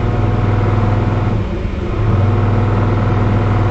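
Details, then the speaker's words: Canard experimental aircraft piston engine at 2,500 rpm cruise in flight: steady drone sags about half a second then recovers, right-side electronic ignition cutting in and out, losing about 20 rpm; confirmed by switching off each ignition in turn. "So right away, I know we got a problem here because that surging is the electronic ignition on the right side cutting in and out. And when it cuts out, I lose 20 RPM. And that's what that surging noise is."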